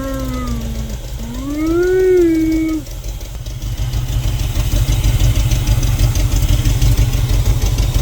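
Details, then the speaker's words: 1971 Chevrolet C20, 350 V8, first start after decades sitting, bad gas diluted with fresh fuel: after a short rev it settles to an uneven, lumpy idle that loses its beat now and then. Rough idle; also leaking oil and smoky. "Well, she fired up. She's running. She definitely needs some work, though. You can hear her kind of go"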